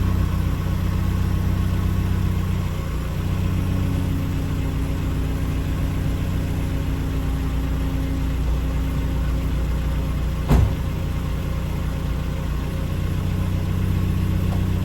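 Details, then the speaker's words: 1993 Asuna Sunfire restarted warm after sitting half an hour, following coolant temperature sensor replacement for hard starting and flooding: starts by itself without sputtering, then smooth, even idle with a steady low hum and no exhaust plume; fix appears successful. "Well guys, not so bad. It just started by itself without any spottering. So hopefully that has fixed the issue. It's sounding pretty good now."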